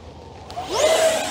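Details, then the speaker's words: Eachine F-18 50mm EDF jet, in flight: the fan whooshes past and a short mid-pitched beep sounds under load, the low-voltage alarm, possibly one cell sagging; the battery is getting low. "It might have had one cell sag just a hair for a second, and then the smart circuit. Nope, I heard it again. Oh yeah, we're getting a little low."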